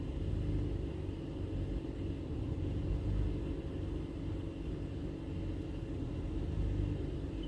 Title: Mazda 3 2008 2.0l Rough idle p2177